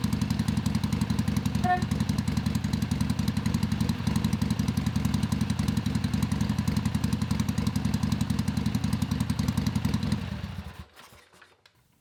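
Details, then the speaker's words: Father's 1970 Harley-Davidson Sportster XLCH, air-cooled V-twin, started after sitting a while, fresh 20W50 oil added: deep, lumpy potato-potato idle, steady until shut-off; healthy normal idle. "Now I grew up being told that that was the best sound in the world, basically. The best sound an engine can make."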